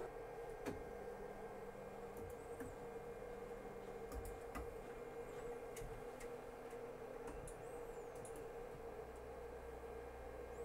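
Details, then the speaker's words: Artillery Hornet 3D printer with TMC drivers printing, bed 70 °C, nozzle 210 °C: very quiet, low steady hum mainly from the rear case fan, faint soft stepper chirps and light ticks, nothing harsh or grinding; normal printing. "Elle est très silencieuse. Ce que vous entendez, c'est principalement le ventilateur du boîtier à l'arrière. C'est vraiment pas dérangeant."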